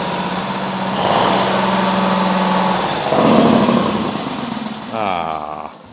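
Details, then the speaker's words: 2003 eXmark zero-turn mower, abandoned for years, just revived with ether and choke: runs rough and uneven, picks up when the throttle opens, then sags and dies within a second; stalls if throttled too hard, though it restarts. "it's like if you go too hard on the throttle it'll die out at least it's starting back up now"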